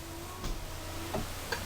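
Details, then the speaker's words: Chevy/GMC 1988-98 truck with a new windshield wiper motor and linkage after replacement, run on a dry windshield: quiet low hum with light soft ticks as the arms sweep; wiper motor and linkage run smoothly, normal operation. "real quiet real quiet okay that's all we're doing it's bad to run them on a dry windshield but super quiet which is good"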